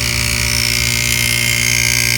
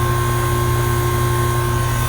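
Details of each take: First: HVAC compressor running on a morning around 60°F, before replacement with an R407C retrofit: a steady hum with a faint quick internal rattle, sounding weak. It pumps only slightly (about an 8° suction/discharge difference) and at times stops pumping entirely, indicating internal failure. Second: About ten-year-old Goodman AC unit after compressor replacement and R407C retrofit, running long enough to stabilize: even, steady low hum with constant tone and no knocking, rattling or clatter; compressor running smoothly.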